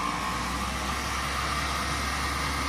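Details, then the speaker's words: 1965 Mustang convertible heater blower motor after balancing cut vibration to about a seventh, refitted in the heater box: smooth, steady, quiet whirring hum at constant speed, the earlier metallic banging gone. "and as you can hear probably that is a lot quieter and doesn't have that awful metallic banging about it so i'm quite pleased with that"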